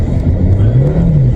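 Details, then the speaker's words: 1997 VW Vento (Mk3 Jetta) automatic, test drive after a gearbox service with fluid drain and new filter and gasket: under steady throttle the revs climb sharply and hang before third engages, then it flares again trying for fourth. Upshift flare, cause unconfirmed. "That was third gear over revving. It over revved and then clicked into third, but just tried to go into fourth and it's over revving now."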